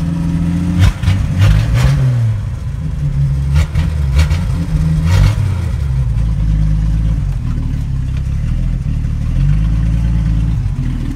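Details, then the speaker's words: 1979 Ford engine on its first start in 25 years, surging and stumbling with idle hunting and clattering between uneven blips; runs rough, owner thinks it is flooding itself out. "she's a rough unit I'm telling you it's pretty cool"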